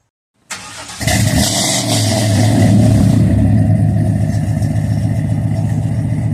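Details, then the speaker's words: Car with new mass air flow sensor, long-tube headers and exhaust, heat shields not yet fitted; quick crank, firm catch, deep loud rumble climbing smoothly with revs, no misfire; normal start and rev. "I'm gonna start it up and let you guys hear what it's sounding like. You know, it's just work in progress, man."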